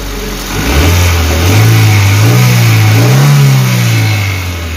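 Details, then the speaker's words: Suzuki APV (Mega Carry) that had been shaking, coughing and low on power, after a service and parts replacement on a rarely serviced van: revs climb smoothly, hold a couple of seconds and drop back evenly with no stumble. The rpm is now stable and it sounds normal. "oke seperti baja ini sudah rpm nya sudah tenang Bro udah normal suaranya"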